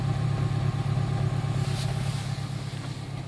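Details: 2008 Honda Civic Si petrol engine at cold idle: a deep, uneven thrum with soft pops, roughly three a second; cause unknown, owner investigating.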